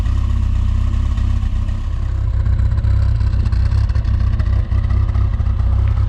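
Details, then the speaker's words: Rover Mini Cooper S Sport 5, 106,000+ miles, after replacing fuel injectors to cure a long-standing rough idle; at the exhaust, idling around 950 rpm, fast and fairly even with only faint lumpiness, smoother than before. "Almost like it's misfiring, but not quite. It felt really uneven before. You know, it was almost, you could hear it like it was misfiring out the back. It just sounds a little bit lumpy now, but I'll be honest, that sounds pretty much the same as Lee's did."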